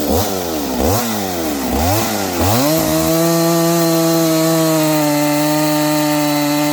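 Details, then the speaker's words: Freshly built Husqvarna 268XP chainsaw with 24-inch bar, break-in cuts: revs rise and drop every second or so under load, then settle to a steady scream; new engine still waking up. "You can hear it. It's kind of slowing down and speeding up. This thing's starting to wake up."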